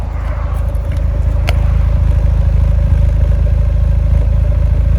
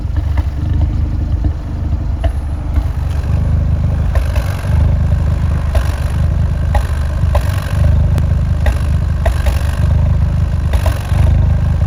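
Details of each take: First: Fiat 124 Spider 1.4L MultiAir turbo petrol engine, heard from outside at idle: steady, even pulse with no stumbles after the A/C was switched on then off; misfires gone and exhaust smooth, on a car with suspected camshaft problems. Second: Fiat 124 Spider 1.4 MultiAir turbo petrol, warm, idling unevenly and recorded from outside with lumpy stumbles; misfire count 5-6; owner suspects the known camshaft problem.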